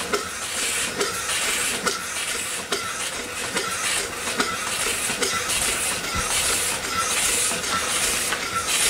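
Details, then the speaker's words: Upright steam engine that sat for years, rebuilt and test-run at only about 30 psi boiler pressure. Even chuffing about seventy beats a minute under a constant hiss: steam leaking at the valve rod packing. "folks besides my leak around that rod it's actually doing really good we will be fixing it now"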